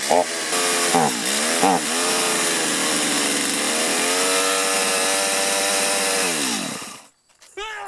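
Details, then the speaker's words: Stihl chainsaw, hard to start after running and bogging on acceleration, carburetor adjustment didn't help: screams at full throttle, then the pitch sags and wavers; fuel-starved, carburetor suspected gummed up. "Because it's not getting enough fuel, it's sucking a lot of air, which makes me think that the carburetor's probably gummed up."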